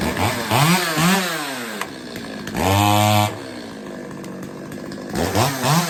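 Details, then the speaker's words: Stihl 025 chainsaw after richening the lean low-speed circuit and readjusting the idle (fixed-jet high speed): crisp blips to high revs drop cleanly back to a steady idle without bogging or stalling; now running fine. "I had to fatten it up a little bit readjust the idle and now she runs fine I mean she runs perfectly fine"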